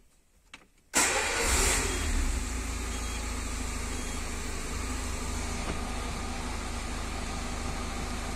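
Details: Peugeot petrol car after the fuel pump relay was reset by disconnecting the battery, as the pump had been silent at ignition: a faint click, then the engine catches at once and idles steadily. The clogged fuel filter is suspected of overloading the pump.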